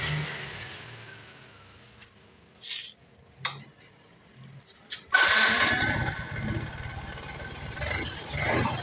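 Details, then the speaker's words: Yamaha Mio M3 scooter at idle: quiet at first, then a rough, busy idle with light tapping from the cylinder head; suspected wear at camshaft, rocker arms and valve adjustment, checked next. "Di bunyinya seperti itu ya, suara ngelitik. Jadi nanti coba kita cek dulu ya di bagian headlocknya dan di bagian nokin as, setelan klepnya kita cek ya."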